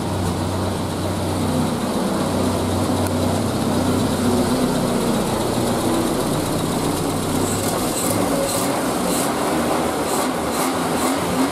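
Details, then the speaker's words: Triumph Spitfire four-cylinder petrol engine idling fairly evenly after fixing a cylinder-two misfire (vacuum leak at carbs, O-ring refitted); slight occasional misfire remains, attributed to timing and mixture fine-tuning. "sounds like four cylinders to me all right okay it's still a little bit you can hear us a little bit patchy we've got the occasional misfire which is just down to tuning fine-tuning the timing and the mixture"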